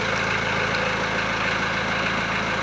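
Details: VW Transporter T4 1.9 TD after replacing worn cam followers, air box and timing belt cover refitted: steady, even idle with smooth low thrum, no tapping or rattle on top; valvetrain quiet and healthy, rattle cured.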